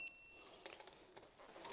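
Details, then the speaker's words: Multimeter set to resistance with audible continuity beeper, probes on a model railway point's frog and wing rail: clean high-pitched tone shows the frog-to-wing-rail internal wiring has continuity; normal continuity beep. "So if I take one probe, put it on the frog, and then putting it on the wing rail here, you can hear that's working."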